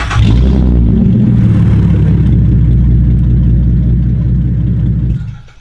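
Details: De-catted Holden Commodore SV6 with rear mufflers removed, at idle: loud raw deep rumble with choppy beat about four pulses a second; straight-piped exhaust.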